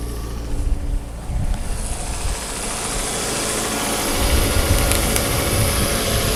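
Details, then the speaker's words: 2005 Mazda6 2.3 junkyard car, formerly no-crank no-start, after fuse replacement (owner suspects a bad ground blew fuses): starter churns briefly, then the engine fires and settles into a quiet, steady idle. "there it goes it's running so obviously that fuse is good it's running nice and quiet"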